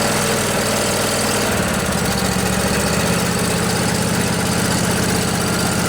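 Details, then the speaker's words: Briggs and Stratton Intek twin-cylinder 20-25 hp engine in a riding mower, junkyard revival, with a little choke while the fuel pump fills the float bowl: uneven cranking catches after about 1.5 seconds and settles into a steady, even putter; normal running. "It's got to fill up the float bowl, remember, so it'll take a little while. Pumping fuel. There we go."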